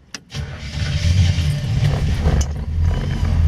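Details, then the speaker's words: 1950 Ford Sedan Delivery resto-mod with 350 V8 and Turbo 350 automatic, warm after driving, oil pressure about 60, just over 13 volts: brief crank, quick catch, then low, soft, even V8 burble, barely audible; normal start and idle. "right up you can barely hear this thing run you can tell it's a v8 though"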